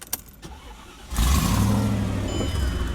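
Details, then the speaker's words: Mercedes E55 AMG V8 (long-tube headers, stock muffler, 77mm pulley) after a drag-strip burnout pop: quiet cranking then a loud, raw, deep blatting rumble like a monster truck; exhaust blown off/cracked, air-fuel jumped to 21. "I lost because in the burnout I heard a pop and then now the car is jacked up. Sounds like an effing monster truck."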